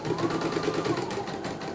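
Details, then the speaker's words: CNY embroidery machine after repair of total-failure fault: steady rapid stitching hum with light mechanical chatter, no knocks; running smoothly. "Oke, mesin sangat lancar ya ini."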